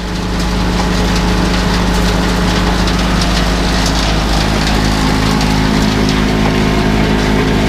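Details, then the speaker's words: Loud, deep mechanical drone of an International (IH) 51 forage/silage wagon unloading, with irregular crackling crunches as leftover ear corn is crushed in the beaters. "Look at those ears of corn. You don't want to get involved with those beaters."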